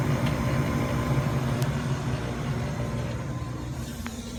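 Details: Goodman GMPN080-4 furnace blower motor fan: steady low rumble with an uneven throb under the airflow; blower motor or wheel rumbling, cause not yet found.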